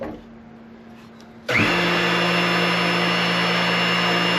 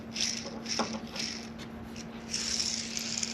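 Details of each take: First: New bearing just pressed into the transmission of a Caterpillar RD4 diesel crawler (1935–1940), after replacing a crispy-sounding worn one: steady, even hum and smooth whir with no grinding or clicking, the way a bearing should sound. Normal bearing rotation. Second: Old transmission bearing from a Caterpillar RD4 diesel crawler (1935–1940), spun by hand after removal during gearbox repair: gritty, crackling hiss in uneven bursts instead of a smooth whir, described as "crispy". Worn bearing, replaced with a new one.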